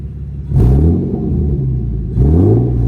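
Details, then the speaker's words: Car fully warmed up after exhaust leak and crooked header bolt repair: two clean quick revs rising and falling smoothly, deep even exhaust note, no ticking or puffing leak. "[Music] All right. So, that sounds great."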